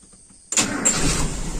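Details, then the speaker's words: Carbureted engine with a diaphragm fuel pump and no return line, restarted hot during a hard-hot-start investigation (wet primary venturi suspected): catches instantly with no long cranking and runs steady. Normal hot start. "Oke, tidak terjadi starter panjang. Alhamdulillah kita sudah mengetahui penyebabnya."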